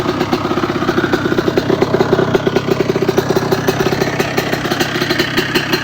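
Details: 1997 Honda CR125 two-stroke on first start and idle test on the stand after a rebuild with a new Vertex B piston. Crisp, even popping with light blips and no knocks; running healthy.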